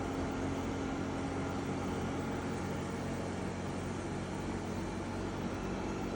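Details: EcoFlow WAVE running with a constant loud droning hum and a faint slightly drifting tone; much noisier than normal, cause undetermined.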